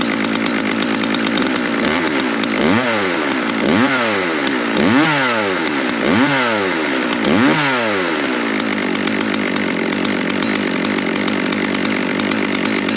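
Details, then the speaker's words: Stihl MS200 rear-handle pro chainsaw; yesterday it stalled once warmed up, today idle rises cleanly into quick throttle blips and drops back without bogging or stalling. Normal revving. "so of course today it's running perfect well I don't know about perfect but it's running without stalling"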